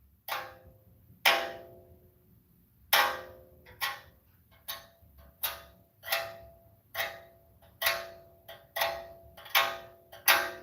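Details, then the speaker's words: Avalanche driving 10–15 mph: sharp uneven metallic clinks every second or two from the left front; owner rules out the brake dust shield and suspects a bearing inside the differential, metal touching metal. Unconfirmed. "you guys heard that it sounds like metal and metal it's not the no it's not the brake dust shield it's it's not that i know what that one sounds like"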